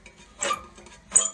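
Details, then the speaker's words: Gardena 380 C manual push reel mower during backlap setup, bed knife adjusted about one degree at a time: two light metallic ticks as the turned reel's blades start just contacting the bed knife. "now if you give the real a turn you can hear that we're starting to make some contacts and"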